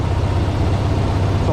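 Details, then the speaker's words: Rail motorcar on a 12 V system, RC-controlled switch, started with choke pulled, throttle up, in neutral: low, uneven, lumpy idle. It runs a little rough; cause not identified. "it runs a little rough"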